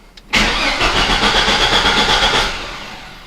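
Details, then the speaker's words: Vortec 4.3 V6 (S10/Blazer) after oil pan gasket replacement, brief crank to circulate oil: steady, even starter whirr for about two seconds without firing; normal cranking speed. "OK now I'm going to turn the starter and let's see if the starter motor turns right OK the starter motor turned right"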